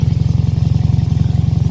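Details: 2003 Toyota Yaris T-Sport at idle, cold and windy: deep, rapid puffing chuff from an exhaust blow, owner thinks at the centre pipe joint, plus a squeak/rattle suspected from a heat shield. Suspected exhaust leak, not confirmed.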